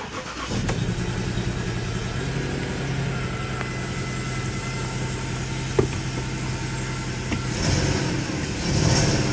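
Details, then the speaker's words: 2004 Jaguar S-Type starting after codes were erased; it cranks, catches, then idles roughly with an uneven lumpy beat and stumbles: bad engine misfire still unfixed. "we've still got a terrible misfire that's not for sure we were to fix that [Music] oh yeah bad misfire"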